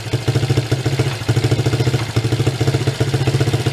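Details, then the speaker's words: 1983 Suzuki ATV single-cylinder with run issues: lumpy, uneven idle with irregular pops about once a second, popping back; the choke position is being checked and the cause is not yet found. "hear it like popping back martin a little bit"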